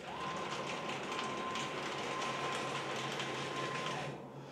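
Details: DIY CNC plasma cutter built from JD's Garage plans, gantry traversing X and Y axes on stepper motors: steady high, clean motor whine with no knocks or grinding; normal stepper drive.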